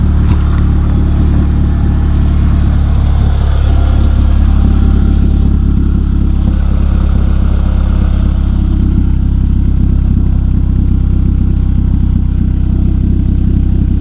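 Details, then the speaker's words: Gen1 Mazda3, recorded walking from tailpipe toward front of car: steady low idle rumble with faint irregular puffing that grows louder toward the front; exhaust leak. "all right not to bad right now if you can tell as we progressively get towards the front of the car it gets louder"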